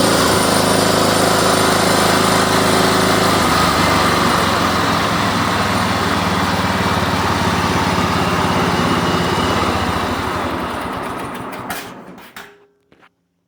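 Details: John Deere mower with a Kohler Command engine, after a new carburetor was fitted and shaved for clearance: strong, even full-throttle roar holding steady speed, then a clean wind-down to stop. Engine runs healthy.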